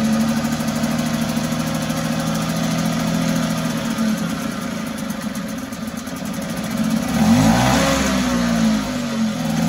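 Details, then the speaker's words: 1974 Mercury 4 hp single-cylinder two-stroke outboard in a water test tank after revival: buzzy, uneven note that sags and wavers as if fuel-starved, then dies after priming; owner suspects a tired fuel pump not keeping up. "well we saw it run but I think it has one more issue from what I could tell when I pump the primer bulb and we'd get fuel and also everybody take off and it would go and then it would die again"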